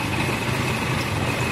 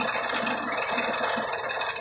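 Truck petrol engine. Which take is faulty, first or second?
second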